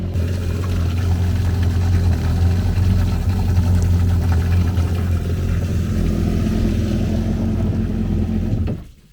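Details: 2013 Yamaha WaveRunner VXR 1800HO, 15 hours, idling on flush water up to operating temperature before oil change, then shut off: steady even low idle, smooth rumble, no misses or knocks; healthy engine.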